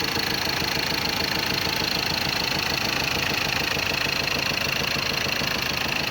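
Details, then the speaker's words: Ford Ranger 2.2 TDCi diesel after engine rebuild, radiator and coolant fitted: even idle clatter with no misses or rough knocks, no shaking; normal idle. "አይንቀጠቀጥም፣ ምንም አይልም። በጣም ምርጥ ነው ድምጿ።"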